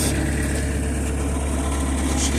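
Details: Skid steer, sat for 5 years, new engine fitted, running at 36°F: steady low drone with even firing and no knocks or misses; normal running.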